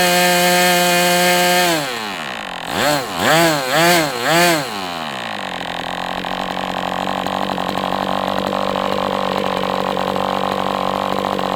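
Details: MDS 68 FS Pro four-stroke glow engine on break-in stand, after carb retuning (idle screw had been tampered with), idle bar plug removed; high steady scream, a few quick rev swings, then smooth even running; normal running.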